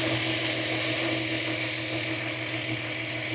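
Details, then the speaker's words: Jeep XJ setting code P0304 (cylinder 4 misfire) idles quietly under a loud, steady hiss; a torn intake/exhaust manifold gasket is causing a vacuum leak. "It's hissing pretty bad, right? So it's hissing."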